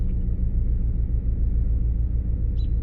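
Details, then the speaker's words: 2006 Lincoln Town Car V8, started after about two weeks sitting, rough for the first mile: uneven, lumpy, stumbling idle rumble; misfire, codes P0351 and P0354 point to ignition coil circuits, coils and plugs suspected. "I just heard the engine I felt the engine come down and feel that little bit of a rumble almost feels like something's misfiring I bet you're gonna have to do ignition coils and plugs"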